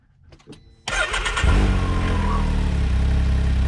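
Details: Can-Am Maverick in the desert at 70 degrees, keys reinserted after an apparent no-start: near silence, then it catches first try and settles into a steady, even idle; clean, healthy start.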